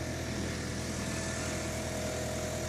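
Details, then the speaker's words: Engine after cylinder-head repair and head gasket replacement, warming up at raised idle: steady even hum, quiet, no hydraulic lifter tapping; earlier lifter knock (additive didn't help after 350 km) cured by cleaning clogged lifters. "тихо работает все как положено"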